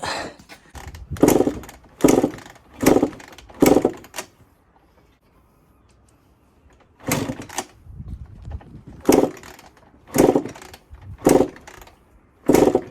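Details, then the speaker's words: 1996 Honda CR80 two-stroke project bike, fuel at 30:1, float was sticking, long stored, spark seemingly intermittent; repeated kick-start strokes about one a second, dull churn, no firing; no start, coil replacement planned. "Right, nothing's happening. I honestly thought this was just going to fire straight up."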